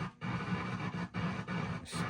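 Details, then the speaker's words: Clarion PT-975C car cassette stereo from a Mazda RX-7, during refurbishment: crackling, scratchy bursts with brief dropouts as the fader control is turned at one spot; dirty fader pot needing contact cleaner. "Now, this one was bad. Right at that spot there."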